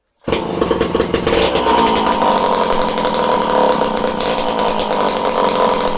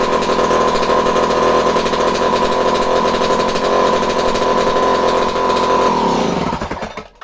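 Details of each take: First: Homelite C51 two-stroke chainsaw, previously reported non-running, with fresh fuel, carb needles at base factory settings and confirmed spark: fires straight away and holds a steady high buzz without stumbling or surging; runs properly, surprisingly. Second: Homelite C51 chainsaw during fault finding: revs high and steady with a thin buzzy edge on initial start, then winds down; running slightly lean, owner suspects fuel draining back from carburetor, damp pump body seal needs fixing.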